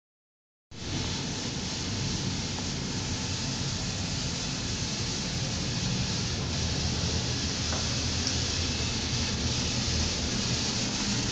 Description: Shortly after the technician left, it started making this really high pitch rattling noise while it was blowing. Its doing it most of the time in this video, though it stops for brief periods.